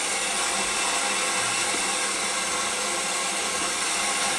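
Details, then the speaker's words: Main Eco 30 combi boiler after replacing the expansion vessel, PRV and air vent, refilling toward 1 bar from the mains: constant hiss of water rushing into pipework with air escaping from the top vent above it. Normal refill. "I can also hear the air escaping from the vent at the top."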